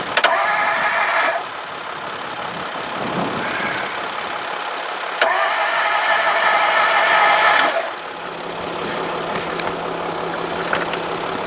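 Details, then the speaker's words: 1954 Ford Crestline Skyliner, start attempt: repeated starter cranking with brief catches that die out and never settle into idle, fuel added to the carburetor bowl; the owner suspects it is flooded. "But y'all did hear, it did bust off. It did not run long, but it did bust off."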